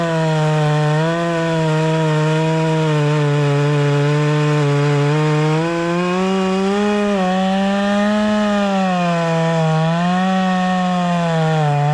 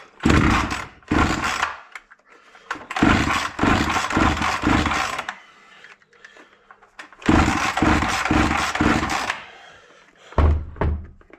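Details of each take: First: Proyard 450 chainsaw after repair of a no-run fault, cutting wood: strong steady buzz that sags slightly and recovers as it bites in, running clean and even; normal running under cut. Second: Proyard 450 brush cutter engine that reportedly would not run, cover missing: repeated pull-cord bursts with a raspy turnover, but it never catches or runs on its own; cranks but won't start.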